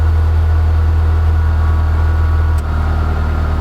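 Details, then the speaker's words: Honda Civic running again after a crank-no-start breakdown; cause was a hidden kill switch under the dash, bumped by foot. Smooth, steady four-cylinder low hum that eases briefly then settles, running cleanly. "at the end of the day I'm happy because I have a running car now"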